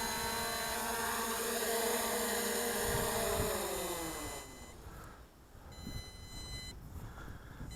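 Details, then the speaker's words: MJX Bugs 20 EIS brushless GPS drone descending on a depleted battery: motor whir drops in pitch, then long evenly spaced high beeps warn of low battery; it auto-lands wherever it is within the 100-metre circle from takeoff. "So when you're hearing that low battery beeping, bring it in close. Otherwise, this might land in some trees or because it's going to land wherever it's at on that low battery."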